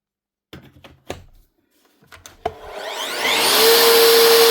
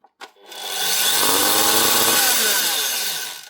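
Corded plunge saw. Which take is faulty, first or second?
second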